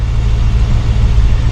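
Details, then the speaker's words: 1972 Mercedes-Benz 280 SE 4.5 V8, D-Jetronic, warm (above 100°) idle around 1000 rpm, fuel pressure ~30 psi: smooth even low rumble, no knocks, misses or whooshing; normal, while investigating suspected vapor lock hot-start problem. "exhaust note sounds good and let's see see if we hear any whooshing no that's good"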